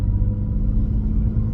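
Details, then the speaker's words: BMW E36 cabin while cruising with the new exhaust: steady low drone, no rasp or rattle; exhaust still audible with pops and bangs but less raw and more pleasant than the louder old exhaust. "comfortable from the noise side uh inside of the car like you still hear the exhaust and it still makes noise as well as the pops and bangs it did before"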